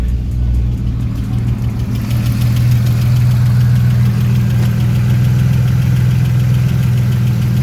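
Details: 1999 Camaro V6 started after installing a 10-row oil cooler, with oil pressure reading good and no leaks: deep even idle with a smooth low rumble and no knocks or ticks.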